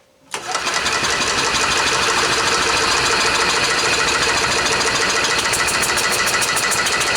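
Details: Club Car golf cart petrol engine, first start after 4 years stored in a barn since it quit, float bowl just primed: it catches at once into a loud, uneven, ragged putter. Rough running.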